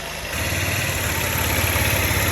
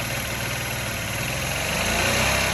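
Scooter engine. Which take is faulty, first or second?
first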